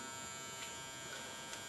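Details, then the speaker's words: HID HPS grow lamp heating up after switch-on: constant high, edgy electrical buzz from the lamp fixture, unchanging rhythm; louder than before, owner hopes it fades when warm, source not pinned down. "Now you can hear the buzzing. And it wasn't that bad before, I could swear. Hopefully it'll kind of warm up and go away."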